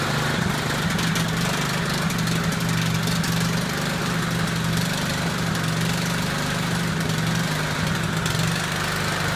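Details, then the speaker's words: Cub Cadet 12A-18MZ256 push mower with an apparently Chinese-made engine, oil checked good: steady idle drone that wavers and surges slightly, running rough; carburetor needs cleaning. "let's go ahead and start it does need a carburetor cleaning you guys will hear that"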